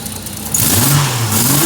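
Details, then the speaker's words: 1987 VL Commodore Executive, automatic, first start after converting its RB30 from n/a to turbo: GT3582 at 8psi, Nistune ECU, 650cc injectors, external gate. It fires and revs rise smoothly and settle, with no misfire, rattle or hesitation; healthy. "Full turbo, everything's going."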